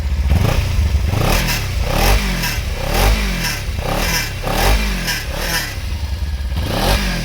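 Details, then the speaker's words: 2016 Kawasaki Ninja 300 ABS, about 60,700 km, starts without throttle: repeated sharp throttle blips about once a second, each bringing a metallic clatter over the engine; rattle when revving, believed to be the exhaust guard vibrating. "มันน่าจะเป็นเสียงสั่นของการ์ดท่อนะครับ"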